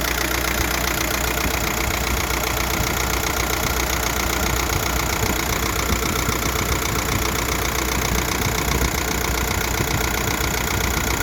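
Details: 1.9 TDI (ASZ) diesel at idle, heard through the driver's-side wheel well but not with the bonnet open: clatter with a knock two to three times a second; pulleys except crank, timing kit and DMF already replaced; source unknown.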